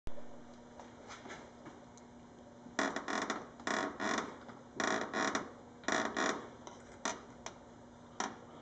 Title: Dodge Charger front fascia creaking noise